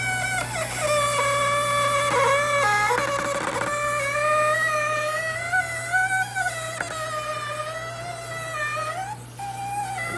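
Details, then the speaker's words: GE Profile ice machine: loud wavering squeal with grinding bursts as solid ice backs up in the evaporator; a clogged water hose kept water from reaching the evaporator, fixed by cleaning. "Yep, that's exactly what's happening. The ice is getting backed up inside there."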